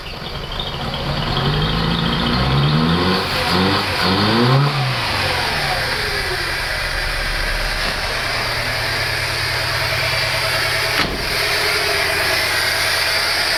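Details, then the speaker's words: Panda CLX engine reassembled after cylinder head problem, first start, airbox not yet fitted: starts rough then revs rise and settle into steady, loud but even idle with no knock; running fine. "Seems like it's running for now. Seems like it's running just fine. So as you can hear behind me, it's maybe a bit loud here, but she runs. And she runs perfectly."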